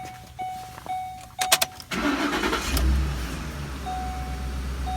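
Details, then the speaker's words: Ford 5.4L 3-valve V8 after coil pack and spark plug changes for cylinder 7 misfire and reconnecting a hissing vacuum hose: brief crank, catches, steady even idle, RPM slightly high until warm, no misfire; normal. "better so I have a nice steady RPMs a little bit hot until it warms back up but don't have any miss any more"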